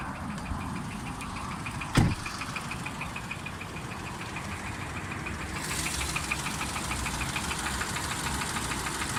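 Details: 2010 Renault Mégane 1.4 TCe petrol with 96,000 miles, idling: steady idle with a regular sharp knock, roughly three a second; diagnosed as worn big end bearings, replacement engine or repair required.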